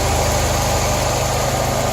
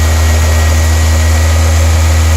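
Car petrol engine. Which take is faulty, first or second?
first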